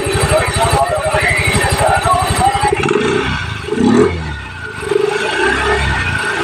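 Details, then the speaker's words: Yamaha Mio i 125 scooter after replacing bearing and drive axles, cleaning pulleys, new gear oil (had clunking rear): starts into steady quick putter, no whistle or noise from drive; smooth, healthy engine. "niya Okay mga kats smooth na smooth Ang ganda ng tunog walang ingay walang wisel"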